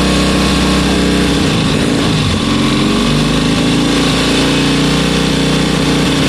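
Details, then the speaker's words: 1972 Bonneville twin, about 50 years old, running after sitting about three weeks with power across the rev range: a crisp, even beat and a brief rev blip that picks up cleanly; normal running. "that honestly that that's so smooth that's well I say smooth it's 50 years old but it's got power in all of its rev range"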